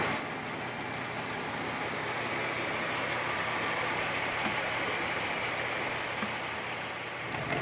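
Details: Old Ford extended-cab truck of unknown year with glass-pack exhaust, idling in the cold once the fuel pump started working. Soft, steady idle under hissy cab background with no misses or knocks; running smoothly.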